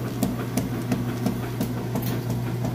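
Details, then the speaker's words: Whirlpool Estate washer: steady motor hum with even swishes about three times a second as the agitator reverses, strong, no grinding or banging; normal agitation. "alright and we've got a good strong agitation here"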